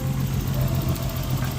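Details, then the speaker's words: Nissan Skyline R32 with RB20 single-turbo engine, recorded under the open hood near the throttle while revving: steady, even engine note with a firm low hum, no knocks or ticks; sounds healthy, though probably just needs a tune-up. "Here's your throttle back here. She still sounds pretty healthy."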